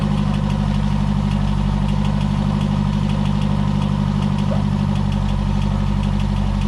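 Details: Ford XR2 idling on the driveway after refitting its professionally refurbished Weber 28/32 TLDM carburettor and fixing faulty wiring to the anti-run-on solenoid, so it now gets power and stops cutting out: steady, even, smooth low idle with no stumbling; normal idle.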